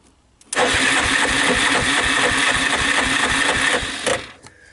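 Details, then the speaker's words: Yamaha Wolverine 350 4x4 ATV bought cheap, owner told it runs, fuel on: starter turns it over slowly at about four labored pulses a second and it never fires; weak crank, owner thinks compression sounds low. "round and round it goes starter doesn't sound great does it fuel is on"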